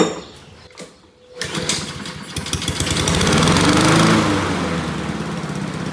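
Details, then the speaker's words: Honda GCV160 lawn mower engine after linkages fixed: catches, shoots up to high revs then drops and hunts unevenly; owner suspects throttle problem, cause unconfirmed. "All right, so I don't know if you can tell but when I start it up, um I've had one like this before, but when I start it up it shoots up and then it goes down. It's like It's almost like something's wrong with the throttle."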